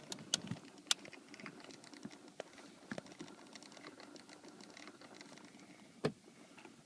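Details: 2008 Toyota Sienna HVAC: faint irregular light clicking from the dash heater controls over a quiet cabin; owner suspects an actuator problem, not confirmed.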